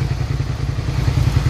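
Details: 2003 Suzuki SV650 V-twin, warmed up with a new radiator after long storage, giving a deep, lumpy idle with no knocks or rattles. Residual exhaust smoke is burning off and the coolant temperature cycles around 210-217. Normal idle.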